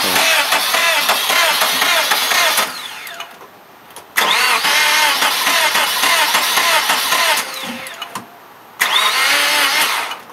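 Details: Car sat about a year by a barn through a freezing winter; its 5-year-old battery, found at 0.75 V, was revived by charge/discharge cycles. Three long bursts of fast starter whirring with pauses, never catching: cranks but won't fire. Cause unconfirmed; possibly dry cylinders.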